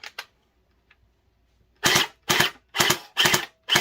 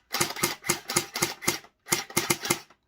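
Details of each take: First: Splatrball SB400 gel blaster fires bursts of rapid rattling that start and stop unevenly. Owner says it is a motor problem, not the battery, since a dead battery would give no sound at all. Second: Rapid crisp snaps at about four a second in two even bursts from a Splatrball SB400 gel blaster after a fix. It cycles cleanly with plenty of battery.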